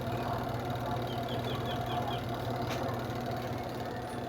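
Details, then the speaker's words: Washing machine spin dryer, after repair, spinning loaded with clothes: steady hum with no creaking; suspension fine. "So wala na yung langitngit guys. Wala na yung langitngit."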